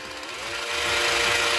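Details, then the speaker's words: Parkside cordless jigsaw after repair, reassembled without its base plate, tested at maximum speed with no load. A steady high buzz climbs as the trigger comes in and runs smooth with no catching. Normal running. "проверим на максимальных оборотах может стоп вылетит работает"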